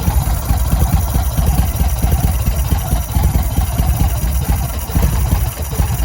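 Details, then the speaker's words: 2005 Yamaha Road Star 1700 V-twin after about five years sitting, enrichment cable seized, starter not fully engaging; lumpy idle with irregular thumps and pops, hesitation from start of throttle and backfires. "but it did start did have some hesitation and some backfires um which you can't really tell with that hesitation from the very start of the throttle"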